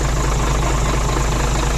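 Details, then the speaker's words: Hino Mega 500 J08C truck diesel after valve adjustment: steady, even low idle rumble with no valve tapping. "เลยไปหายหายเงียบกริบเลย"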